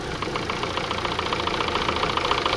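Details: Chevrolet Sonic 1.8 with a constant exhaust camshaft code (P0366). Fast, light valve-train ticking over a steady idle.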